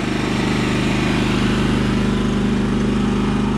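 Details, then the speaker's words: Champion 3400 inverter generator after carburetor cleaning, choke on, eco throttle engaged: even, steady engine drone with a smooth regular beat, no misses, surging or smoke; running normally. "Wow it runs really nice look at that sounds very good it doesn't smoke at all either"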